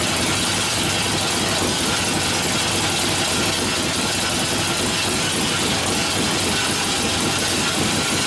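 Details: 1972 Harley-Davidson XL Ironhead Sportster after motor rebuild (pistons and pinion bushing damaged previously): even continuous V-twin running with no knocks or rattles over hissy background, oil return working; sounds healthy.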